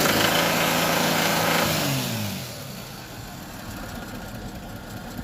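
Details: Toyota 2JZ-GE distributor-type engine: regular knock about four per second while revving, fading as it drops back to idle; knock of unknown origin.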